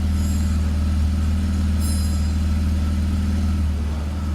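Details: BMW E46 with M54 engine, after repair with a fixed torque converter: idle in gear gives an even low hum with no knock or rattle; the foreign noise previously heard in Drive is eliminated.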